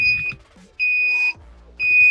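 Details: 2001 Mercedes SLK 170 Kompressor with start error, no crank, no start (P202C-8): sharp high-pitched beeps about once a second, the unit's low-voltage warning with battery near 11.6 V, stopping once charged to about 11.7 V.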